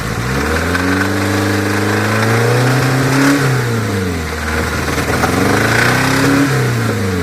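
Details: 1981 Toyota Corolla TE72 with a swapped Nissan KA24DE four-cylinder, high-compression SOHC pistons and an open downpipe; raspy unmuffled revs up and down twice with a rough rod knock underneath. Owner blames an untrusted machinist.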